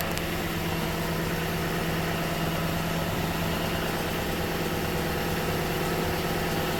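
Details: 2015 Toyota Sequoia V8 idling after 3 to 5 minutes of morning warm-up: faint regular light click about three per second; it stopped when driven to the dealer, and the owner wonders if it is a timing belt tensioner, unconfirmed.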